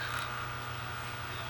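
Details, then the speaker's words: Vintage Lionel No. 52 fire car: faint steady electrical hum with nothing turning; the reverse side is broken so it only runs one direction. "you can hear it humming but when i do this side that lights on i believe the light's supposed to blink but it's just on"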